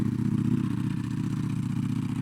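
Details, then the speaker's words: Ducati Panigale V4R, 998cc Desmosedici Stradale R V4 with an Akrapovič exhaust, cold start idle: a quick, dry metallic rattle over a lumpy exhaust beat, which is the stock dry clutch chattering and is normal. "I mean, as soon as I hit the clutch and it goes I don't know if it's hard to hear that or not, but you can hear that chatter, which in most cases people think the bike is broken. I don't believe that's the case."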